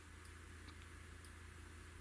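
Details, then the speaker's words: 25" Hantarex Polo arcade monitor chassis powered up without picture tube, after tube ground was wrongly connected to J117: faint sharp ticks about every half second over mains hum as the switch-mode power supply tries to start and fails. "so when it's going tick tick tick that's the sound of the power supply trying to energize and failing and then energizing the failing"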